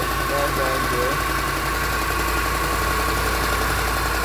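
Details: Land Rover LR4 idling with a busy, loose metallic rattle over a steady hum; the car came in with this rattle, diagnosed as timing chain rattle.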